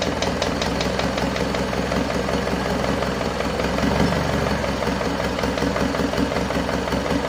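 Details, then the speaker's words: Isuzu Panther 2.5 diesel after overhaul and turbo/intercooler upgrade, first start after nearly two weeks assembled: light quick tek-tek ticking over slightly uneven idle; mechanic suspects valve guides/bushings not yet fully settled, warming up, oil pressure normal. "masih ada bunyi tek tek tek dikit Lur Ya itu bisa jadi dari botolan masih belum balik dengan sempurna"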